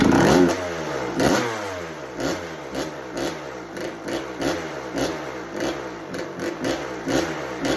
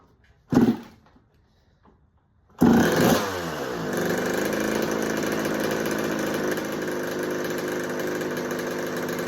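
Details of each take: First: 1986 Kawasaki KX125 two-stroke bought as no spark, no start, kicked on choke: uneven, stumbling bursts about once a second that rise and fade; fires but won't idle, owner later suspects a fouled, wrong spark plug. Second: 1986 Kawasaki KX125 two-stroke, running after a no-spark no-start repair, spray test around the head gasket for air leaks: steady, even idle that doesn't change, so the head gasket seems fine; normal idle.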